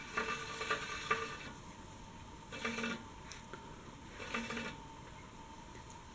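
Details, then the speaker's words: Bicycle rear wheel with a small wobble spinning in a Park Tool TS-2.2 truing stand, gauge arm set close to the widest point: light scraping swish about every 1.5 seconds as the out-of-true rim rubs the gauge. "So every once in a while you can hear it rubbing. And basically I set this little arm as close as I can just to hear the widest part of the wobble."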